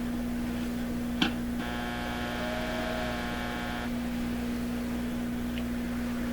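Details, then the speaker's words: Hallicrafters TW2000 World Wide radio under repair, probed with a signal tracer: steady low mains hum at one pitch on the heater supply and B+; later found the bench power supply and tracer themselves hum. "Well, it's just all screaming humming the B plus. Let's try listening to the this supply here. This is the heater. So we hear it there too."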